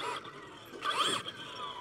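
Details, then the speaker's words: Redcat Vigilante 8S 1/5 brushless monster truck, Hobbywing 5690 motor, max gearing with 19t pinion, after hard landing: high whirr and dry ratchety buzz, front no longer driving as center diff spins; front ring gear found shattered. "uh-oh looks like something finally broke on it what that I finally break the front end is no longer pulling oh I broke a uh you can hear that Center diff"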